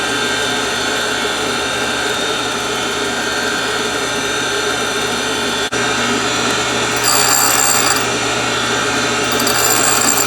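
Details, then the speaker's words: Valve refacing machine: steady motor hum, then short sharp hissy grinding bursts as the stone contacts the rotating valve face, timed with each dog tooth advancing the feed gear; normal refacing. "all right the reason that you're hearing that noise in little burst is that it it coincides with each uh time that the tooth on the dog grabs another gear and pulls it in"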